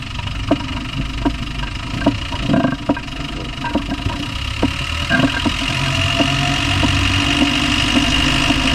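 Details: Land Rover Discovery 1 300Tdi diesel idling with sharp metallic knocks about three per second over the clatter; engine knock of unknown source, owner asks what it is.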